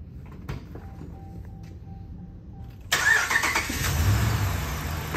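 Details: 2013 Ram 1500 5.7 Hemi, first start after lifter failure and camshaft damage were repaired: a quick crank that catches cleanly into an even V8 idle with no top-end ticking, only loud injectors, sounding healthy.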